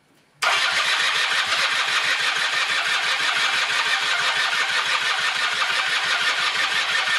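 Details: 1996 Rexy 50 two-stroke scooter, barn find, first start after 13 years, after a starting aid: catches at once into a fast, even buzzing idle with no stumbles, running on tank fuel and taking throttle; normal running.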